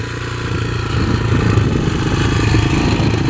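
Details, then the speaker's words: Rebuilt 2003 Yamaha TTR125 single-cylinder dirt bike after repairing an engine knock, being ridden: it pulls cleanly and builds revs smoothly, with no knock or clatter under load. It runs flawlessly, with lots of power for a 125. "Well, this thing is running flawlessly. Not a single issue. It's running really good. A lot of power for a little 125."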